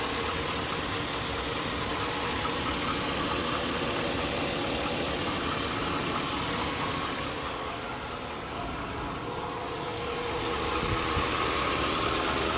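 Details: 2002 Chevy Avalanche 1500 5.3L V8, warmed up at idle: a fast diesel-like tick of about four a second on the right side, worsening over the past year. The owner likens it to a Ford F-150 cam phaser tick; source unknown.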